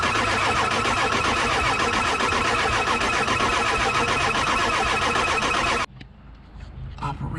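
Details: Diesel truck ("Meth Daddy") cranks steadily about four turns a second for nearly six seconds but never fires; earlier it had a hot no-start, then wouldn't start at all; HPOP suspected, not confirmed.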